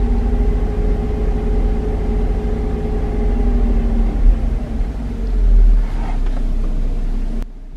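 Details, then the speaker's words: Chevrolet Traverse petrol V6 revved to about 1500 rpm: low hum with occasional uneven stumble; scanner shows cylinder 4 misfires, with rough idle and surging while cruising. "now when we look at the data and i go ahead and give it revs you can hear it misfiring rated 1500 rpm"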